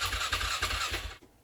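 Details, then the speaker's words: 2007 Polaris Scrambler that sat over four years, with a new battery and spark apparently present, cranked with throttle while the carb was being adjusted. Even chuffs about three a second, no catch. Cranks but won't start, cause unconfirmed. "Try it again. Give it some gas, see if that helps. Still nothing."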